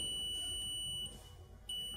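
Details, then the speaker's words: Digital multimeter in continuity mode, red (positive) and black (negative) probes touched together: steady high beep that briefly drops out and returns, display should read 00 ohms; the meter is working, before checking mobile phone speaker and ringer components. "अभी इस metre को red probe और black probe को जब मैं contact करता हूं, touch करता हूं, तो इसमें एक बीप की आवाज सुनाई देती है। इसे हम बोलते हैं बीप या कंटिन्यूटी।"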